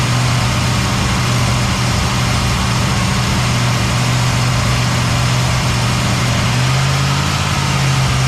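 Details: Cadillac ("Lil Debby") restarted after fuel-line hose clamps were tightened during diagnosis of a brand-new but failing fuel pump; steady, even idle with smooth low hum, no stumbling or surging. Normal idle.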